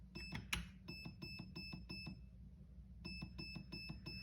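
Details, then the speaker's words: Perun V2 hybrid MOSFET in program mode: short high beeps in groups of four after selector flips, showing pre-cocking set to level 4; owner adjusting it to help feeding issues. "okay so the pre-cocking is set to four currently"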